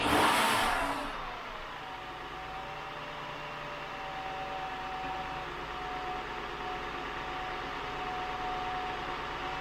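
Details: 2000 Acura 3.2TL, J32 V6 with 610,451 miles, first start after replacing all intake gaskets including the lower intake manifold gasket: sharp catch settles into a smooth, even hum, rising slightly; sounds healthy; normal running.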